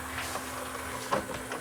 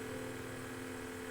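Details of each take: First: Sony DVP-C660 5-disc DVD/CD changer after new belt fitted, tray previously jammed by sloppy belt: small motor whirs with crisp clicks and clunks as tray cycles and seats, lots of torque, no slipping; normal disc tray operation. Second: Sony DVP-C660 DVD changer with jammed disc tray, top off: steady even motor whir with no movement as the worn rubber tray drive belt slips; needs a new belt.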